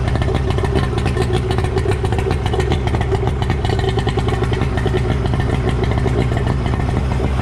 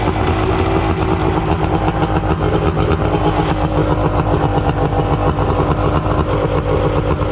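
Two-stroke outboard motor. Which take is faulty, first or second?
second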